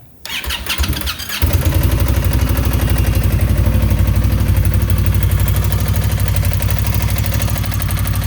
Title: Indian Scout Knocking Noise